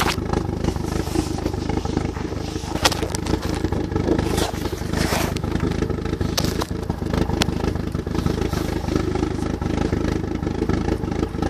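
Uneven idle that stumbles and hunts, with irregular dips and a loose clattery beat; sounds like a misfire, cause not clear. Cause suspected, not confirmed.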